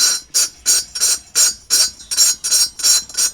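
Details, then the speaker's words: Honda Wave Ultimo 4-stroke cylinder head being hand-lapped with compound: gritty rasping strokes, about three a second, harsh and coarse; valve seat not yet mated, keep lapping until the sound turns smooth. "sekarang kalau korang dengar bunyi dia kasar kan, jadinya korang gerembal sampai bunyi tu makin halus spray sikit biar dia basah."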